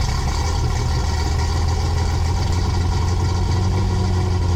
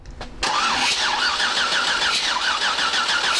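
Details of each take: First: 6.8 LS3 stroker V8 in a '55 Chevy pickup, first fire-up after build, with oil pressure and no valve-to-piston contact: deep, steady, even lumpy idle with no misses or knocks; normal idle. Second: 6.8 LS3 stroker in a '55 Chevy pickup, first start attempt: starter whirs at an even cranking speed with no firing pulses; no spark, suspected to be tune-related, and spark returned after checking with the laptop.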